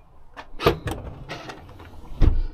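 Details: Land Rover LR4 rear upper tailgate door lock actuator after replacement: quick motor buzz then firm latch clunk and a second solid clunk; actuator cycles cleanly, normal operation.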